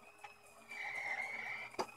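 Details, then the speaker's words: 3D printer mid-print after the first few layers: motor whine with sharp single clunks as the extruder repeatedly kicks back, stopping PLA flow; persists despite changing extruder, filament and print speed, cause unknown. "this is just a bit getting ridiculous now just constantly kicking back and if you can you can hear it doing it clunk clunk there's another one"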